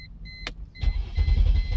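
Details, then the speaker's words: 2001 Mercedes E320 with a warning chime, then the starter turns the engine over in steady pulses but it never fires; fuel pump relay failure, confirmed by bypassing the relay: crank no start. "see you heard that it won't turn over. Okay, it just cranks up but won't turn over."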